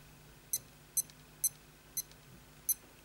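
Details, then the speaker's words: Casio F91W watch, tested after fixing no display following a battery change. Five crisp, high alarm chirps at slightly uneven gaps in a quiet room. The alarm buzzer works normally. "now let's have a listen you can hear that that's working fine as well"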